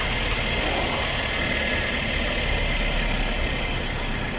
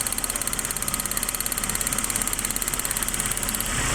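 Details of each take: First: Suzuki APV after replacing one dead ignition coil (no electrical supply) with a new original Suzuki coil: even, steady idle with smooth beat, no misses or shake; engine vibration gone. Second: Suzuki APV before repair, with one ignition coil getting no electrical supply: an uneven, shaky idle with a lumpy beat of about three pulses a second. Misfire and engine shaking from the failed coil, which needs replacing.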